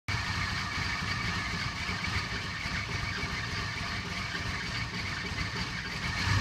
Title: Cressida rough idle